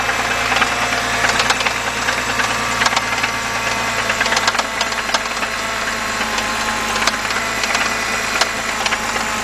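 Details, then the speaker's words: 2011 BMW 328i 3.0 with many stored codes and an oil filter housing gasket leak: sharp irregular ticks and clatter over a steady idle from inside the engine near the timing chain; internal mechanical noise, cause suspected, not confirmed. "Guys, that is actually that's inside. That's where the timing chain and everything is at."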